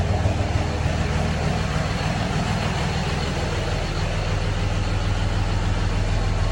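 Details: 2006 Cummins diesel idling: deep, lumpy pulse that surges and dips; rough idle with trouble codes for the fan clutch and wastegate solenoid, cause not pinned down.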